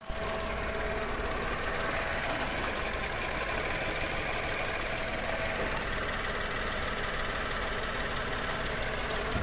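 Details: 1.2 12V three-cylinder VW-group engine, code 16686 P0302: rough, lumpy idle with uneven exhaust stumble; cylinder 2 misfire persisting after new plugs and coil; compression ~10 bar on cylinders 1-2 vs ~14 on 3; exhaust valves suspected.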